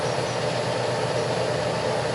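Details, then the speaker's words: Colchester Master lathe turning tyres on the driving wheels of a 5" gauge LNER A3 model locomotive: rough metallic buzz with faint whine as chatter occurs on two opposite sections of the wheel; cause unknown. "From there to there, I'm getting a lot of chatter. And you can hear it as it goes round."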